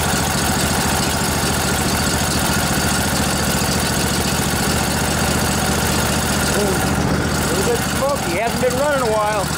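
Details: Revived junkyard Briggs & Stratton Intek OHV twin, 20–22 hp, model 40777, in a Husqvarna riding mower, with a new carburetor: catches and settles into a steady, even idle with a regular low thrum, no misses or knocks.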